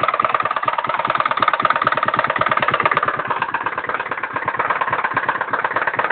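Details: Iribis Virago 110cc moped four-stroke engine after replacing piston rings and valve stem seals; sharp regular knock at idle despite correct valve clearance and timing, pulling power fine; knock persists after teardown and reassembly, cause unknown.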